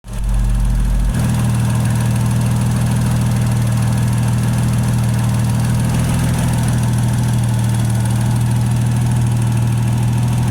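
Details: Toyota 1JZ straight-six petrol engine at idle: light, fast ticking over a deep hum, located around the intake plenum. Cause unknown.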